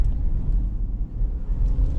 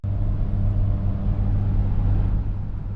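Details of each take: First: 2006 Ford Explorer Eddie Bauer, 212,000 miles, test drive after replacing the rear hub bearing assemblies: only a low smooth road rumble, with no whine or roar rising with speed. Driving is normal and the bearings sound healthy. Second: 2006 Ford Explorer Eddie Bauer at road speed: deep, steady airplane-like droning roar that new front hub bearings and heavier fluid didn't fix, traced to worn rear hub bearings.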